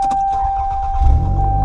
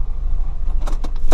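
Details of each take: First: Car started with the front exhaust section unbolted, demonstrating a severe exhaust leak: after a steady warning tone and the start, the engine idles with a loud, deep, rapidly pulsing rumble. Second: Car after exhaust flange nuts and bolts tightened to 42 lb-ft to fix a ticking exhaust leak: steady low engine drone with no ticking or puffing, only keys rattling; exhaust now sealed.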